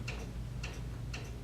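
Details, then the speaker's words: Pneumatic directional control valve in a training circuit, solenoid coil energized (red indicator lit); crisp clicks about every half second over a low hum as the internal spool shifts, working normally. "noise, that's a spool inside that directional valve shifting."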